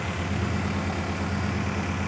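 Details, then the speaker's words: BMW E39 M5 S62 V8 track car, just started after an oil change where milky oil was drained: deep, smooth, even exhaust burble at idle with no knocks, misses or rattles; healthy V8 idle. "this thing makes no noise doesn't shake doesn't Rumble doesn't [Applause] anything just sounds like European [Applause] Bliss"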